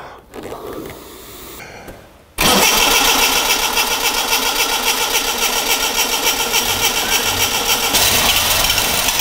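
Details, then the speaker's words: Classic Mini Clubman campervan, long non-running with a burst fuel tank, started by pressurising the tank to feed the pump: cranks, catches and settles to a slightly lumpy idle, with no taps or knocks; mechanically sound but running rough. "it's running a bit lumpy but it sounds sweet mechanically there's no taps or bangs or anything"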